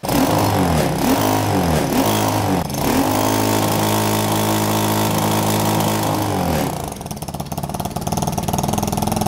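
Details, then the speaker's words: Moped/bike engine held at high revs after flashing a newly programmed CDI, bouncing off the rev limiter with rapid, fairly muffled cuts before dropping back; the owner finds the limiter too soft, not popping loud enough, with a lot of ignition retard. "Franchement pas ouf, je suis pas convaincu par mon rupteur, il n'est pas assez alsacien à mon goût, surtout que j'étais en stage d'observation chez EMS Motorsport et les rupteurs de Mario ils pétaient plus fort que ça, tu vois."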